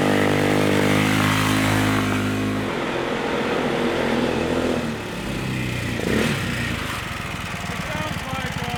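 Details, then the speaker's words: Stage 2 Predator 420cc single on a Polaris ATV, rebuilt after muddy water ingestion (rings cleaned, valves lapped, headwork): revs up then settles to a firm, even, steady beat; running well, slightly rich, needle adjusted but needs leaning out more. "back on i got to lean it out some more but the needle is adjusted"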